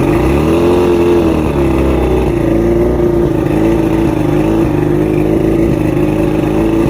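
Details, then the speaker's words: Outboard two-stroke after weeks of work on rough idle, surging and misfires, now with new electronics and a rebuilt fuel pump and carbs: a steady drone that holds its pitch and picks up cleanly. Normal running. "I went down the rabbit hole, finally got the engine talking."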